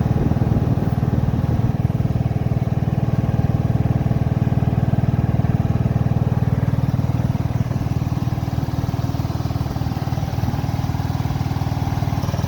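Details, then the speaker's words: Cub Cadet Series 2000 just after a hard cold start after sitting 8 months: the small single thumps at a low, steady beat, nearly three a second, even and unbroken; a smooth, healthy idle. "Okay guys, we've got it unloaded off the trailer there. It idles pretty smooth."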